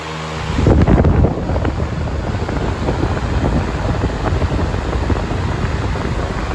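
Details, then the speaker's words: 1998 Patton 20-inch high velocity fan (I-20CA/U220) after cleaning, oiling and reassembly, first run at full power: spins up in about a second to a steady even rushing roar, no rattle or scrape, very minimal shaking. "Beautifully running fan. Very minimal shaking."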